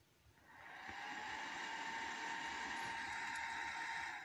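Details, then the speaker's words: Acer Aspire 4738 laptop after repairing a power-on-then-shutdown fault caused by a drifted resistor R110: fan spins up and settles into a steady loud even whir with faint whine; normal. "Oke, suaranya kencang ya. Untuk di bagian kipasnya."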